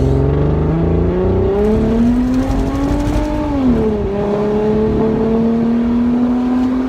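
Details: Car with exhaust taken off and dumping before the planned straight pipe: loud, raw, unmuffled note climbing and falling with each throttle blip; open exhaust, muffler removed.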